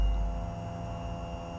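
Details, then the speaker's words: Royal Enfield Himalayan, ignition switched on with the microphone held close to the fuel pump: a steady low whir with an even tone and no stutter. The fuel pump is priming normally and its relay is working. "So, wenn man dieses Geräusch hört, kann man eigentlich davon ausgehen, die Benzinpumpe funktioniert."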